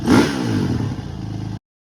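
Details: First-gen Honda CRF450X with rebuilt Keihin FCR carburetor (teardown, ultrasonic cleaning, all new gaskets and seals): a brief burst of single-cylinder revving settling into an even beat before cutting off; runs cleanly, normal running.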